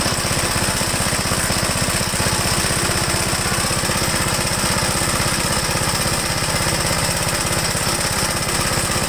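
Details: 1969 Gravely Model L, owner says it acts more like an LI intermediate-speed model, newer engine with 7.6 hp head, already warmed up: steady, even single-cylinder beat at a brisk idle, no knocks, misses or rattles; healthy running.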